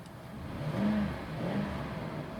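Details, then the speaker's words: 2005 Ford Expedition King Ranch 5.4 V8 Triton, 79k, LPG conversion starting on petrol until warm: smooth deep rev rising and falling twice, even, no ticks or misses; healthy engine. "Oh god, it sounds good. It does sound good."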